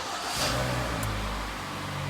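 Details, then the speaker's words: 2011 Hyundai ix35 G4KD, 153,000 km, first start after repair for heavy oil burning from coked rings and a knock after winter: it catches, revs briefly, then settles to an even, steady note with no knock or tap; normal running. "так пробег 153000 сами слышали работает ровно год 2011"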